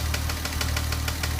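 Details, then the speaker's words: 2007 Porsche Cayman S, warm idle, after replacing the chain tensioner, cam actuators and intake cam gear: sharp even tapping about six per second over a low hum, a collapsed hydraulic lifter that is quiet when cold and hammers once warm. "this one has a collapse lifter and it's knocking as you can hear it's pretty quiet when you start it up cold but as it warms up it starts hammering"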